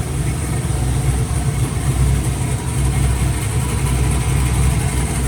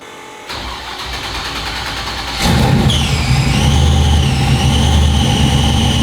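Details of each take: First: Truck after transmission rebuild with new torque converter and flex plate: steady, even low rumble with no knocks, misses or whine; idling smoothly and healthy. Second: Truck after dyno run, throttle body gasket just replaced: engine fires and settles, then a high wavering whine rises once charge pressure builds; suspected inside the transmission, not starter drag, unconfirmed.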